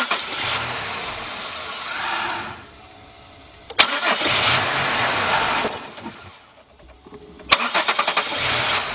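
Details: 2005 Chevy Impala 3.8, warmed up, fuel pressure about 45 dropping to 40, spark present: engine catches, revs briefly, sags and dies, then cranks and restarts; warm-engine stalling traced to a faulty mass airflow sensor.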